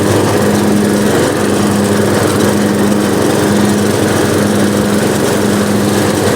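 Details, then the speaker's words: Riding lawn mower, battery reinstalled after sitting outside all winter on stale gas, fires right up and holds a steady, even buzz at constant speed with no stumbling or surging; normal running. "wow i can't complain about that fellas that thing started up after sitting all winter"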